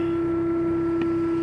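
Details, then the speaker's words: Truck idling during the morning pre-trip inspection: a constant mid-pitched moan with a faint higher hum alongside, seemingly related to vibration. Source unknown. "God my truck is moany this morning I don't know what it is something the I don't know the way the vibration was P makes noise"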